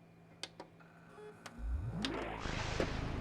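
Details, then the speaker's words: Original Xbox disc drive: a few clicks, then the tray motor whirs and climbs in pitch while the tray hangs up; sticking tray. "I think reads games disc drive is sticking. Ah, yes. Classic. Yes, classic. Disc drive sticking."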